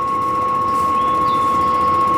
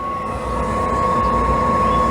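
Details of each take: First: Propane appliance in an RV travel trailer unused for two years: steady high ticking buzz with a whistle-like tone; igniter striking repeatedly while air purges from the gas line before lighting. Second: Travel-trailer RV propane burner lit after the RV sat unused for a couple of years: steady even roar like a miniature jet, constant high tone with no surging or popping; burning normally, and the exhaust smells fine.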